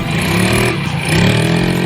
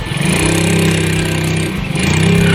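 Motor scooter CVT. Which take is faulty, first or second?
second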